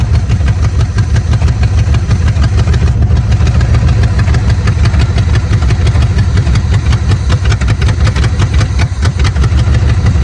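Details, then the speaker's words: 1970 Chevy Chevelle V8 sitting since 1995, float freed: steady low rumble, rough and uneven at low speed, not settling; ignition timing still well off while being reset. "Yeah, give me a sec, because I'm going to try to set the timing again. It's still way off."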